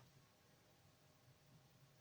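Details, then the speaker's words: Gigabyte P550B power supply with standby problems; near silence, then a steady unbroken multimeter beep across the output Schottky rectifier diode, showing it shorted; likely the only fault, to be replaced. "And I checked the output diode, Schottky diode, and as you can see, it is shorted. So that's probably the only problem with this power supply."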